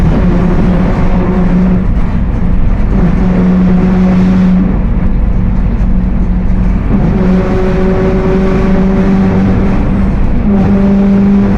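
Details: Mercedes-Benz OF 1721 BlueTec 5 bus chassis (Apache Vip IV body) with a rear axle problem: steady hum under the low drive rumble, coming and going and rising in pitch with road speed. Rear differential whine.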